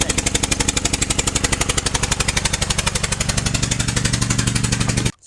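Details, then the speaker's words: 2007 Honda Pilot first generation, after hitting a ramp, check engine light with bank 1 sensor 1 O2 open circuit: hard, even popping about four times a second, like a lawnmower; spark plug blown out of its cylinder under the ignition coil; misfire. "so now the engine sounds like this sounds like a lawnmower right"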